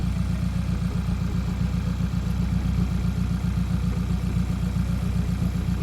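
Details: Hyundai Elantra with stock engine and big turbo, idling after replacing a broken exhaust V-band clamp at the muffler; steady even low idle with no puffing or ticking, no exhaust leak; fuel pressure 70, oil pressure good.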